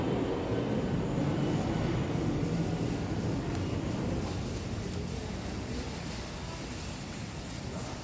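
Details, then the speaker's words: Samsung dryer after replacing flat-spotted drum support rollers and shafts: a smooth, steady drum rumble that slowly eases, with no thumping or knocking. The original loud thumping is fixed. "and in operation then the dryer will begin to settle in and become and become quieter in this operation but the primary problemless allowed thumping sound which has been addressed"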